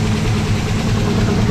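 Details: V8 with Aces EFI, after the ECU cam setting was changed from mild cam back to stock, which fixed the start-and-stall problem. Deep, steady idle holds an even beat without surging or dying.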